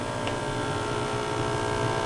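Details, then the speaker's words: Hallicrafters SX-130 receiver, initial check: steady low buzzing 60-cycle hum; filter capacitors suspected but possibly a shorted tube, source not yet found. "that that would be pretty typical 60 cycle hum which you would assume would be the filter capacitors right there"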